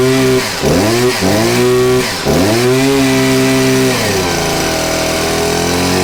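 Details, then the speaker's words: Stihl HS 81R two-stroke hedge trimmer, low on power with constant blue smoke, started on choke; revs climb in bursts but fall short of a crisp top end and sag back, running rich and smoky: carboned, plugged spark arrestor choking the exhaust. "so that's pretty much what it does it gets pretty decent but not all the way um and as you can tell there's a lot of smoke"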